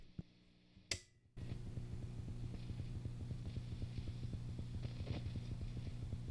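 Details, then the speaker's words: Fender Bassbreaker 15 tube amp, mic close to the amp, before re-tubing: after the switch-off click, a low buzzing hum with a rapid uneven sputter, a noise at power-off; cause unknown, owner plans to swap the tubes. "I'm going to turn it off and hopefully be able to hear exactly what it sounds like is it kind of farts out as are even turning it off"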